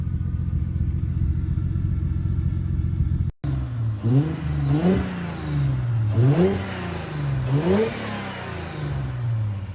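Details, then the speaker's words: 1994 Acura Legend GS 6-speed sedan, just started at a shop: smooth, even low idle rumble with a steady beat and no knocks or ticks, then revs rise. The AC works. Normal idle. "good. Here's the car at idle."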